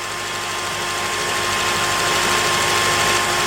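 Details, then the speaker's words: 2006 Honda Element after engine reassembly and a fuel injector swap: smooth, even idle with steady pitch and no stumbles or skips; firing cleanly on all cylinders, fixed. "okay well I don't know what was wrong with that injector but uh yeah she's fixed now"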